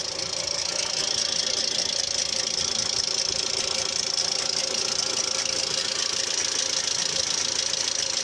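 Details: Mitsubishi Outlander III, under the hood a couple of minutes after starting: for several minutes a fast light papery flutter about four per second over quiet idle, like something rotating brushing a half-peeled paper; source unclear.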